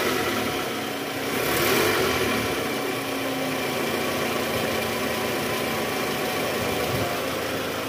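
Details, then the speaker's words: 2010 Toyota Camry 2AZ-FE petrol engine, cold start after about 2 hours off, after replacing a worn, loose balancer shaft and valve cover seal: even slightly raised fast idle, no longer the rough grinding "grkrk" heard at start-up. "masih idle up karena baru hidupnya mesin guys tapi suara mesin ini udah normal Ya udah nggak kasar lagi kayak Awal"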